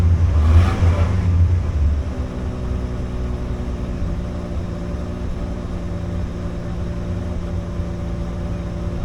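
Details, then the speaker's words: 1986 Dodge D150 with 225 slant six, started cold: idle flares up then settles low, wavering and stumbling now and then; slight rough idle, owner suspects the carburetor needs going through. "there's what the little six-cylinder sounds like it's cold I just moved it over here so I could video it does have a slight rough idle and stumble um the carb probably could use to be gone through"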